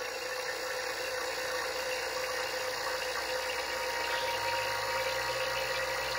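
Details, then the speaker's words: Vacuum pump evacuating the line set of a 110 V, 12,000 BTU mini-split heat pump being installed on a race trailer: steady pump drone whose tone shifts and deepens as it pulls toward vacuum. Normal operation. "I don't know if you can hear that but anyways what that's doing is actually pulling the air out and here in a second it'll be in a true vacuum"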